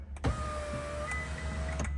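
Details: Ferrari California T power window: smooth, even motor hum for about a second and a half with no grinding or strain; normal power window operation.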